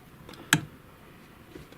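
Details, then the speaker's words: Chaika 2 sewing machine on zigzag setting 5, turned slowly: one sharp click and faint ticks as the rod follows the cam and drops down; knock caused by play in the zigzag mechanism. "В общем, когда вот этот шток идёт по копиру и спускается вниз, вот такие щелчки."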